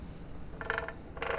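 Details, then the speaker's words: 1985 Honda ATC 70 with a swapped Piranha 140cc 4-speed semi-automatic engine: two short squeaky ratcheting bursts from the chain tensioner. Loosening the tensioner stops the noise, confirming it as the source. "so we loosened the tensioner and it looks like it just makes that noise which is really disappointing once i take the tensioner loose"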